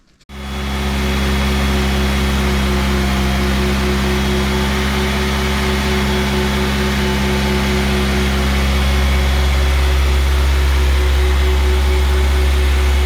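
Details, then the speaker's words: Freshly rebuilt Audi A4 B5 1.8T with GT2860RS turbo, first 20-minute run-in on 10W-40 oil held at 2000 rpm: steady deep even drone, no knocks or ticks; engine started and ran cleanly. "Esimene töötsükkel oligi siis see 20 minutit. Selleks hoidsime siis 2000 pööret terve selle aja."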